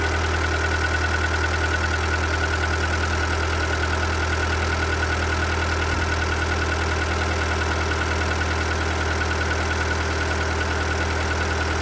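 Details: Seat Ibiza 1.4 BXW engine at idle: dull, regular knock about three times a second from the bottom end under the engine note; engine type described as prone to piston slap, exact cause unconfirmed.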